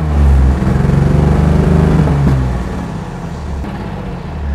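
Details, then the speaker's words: 1955 Mercedes-Benz 300SL Gullwing, inline-six (215 hp at 5,800 rpm), just started, revved in place: crisp throttle blips, the six's note climbing and dropping cleanly with each press, no knocks or rattles; normal healthy engine. "Every time you step on the accelerator pedal, you hear a mechanical sound The engine was made with the technology that was used more than 60 years ago but it sounds"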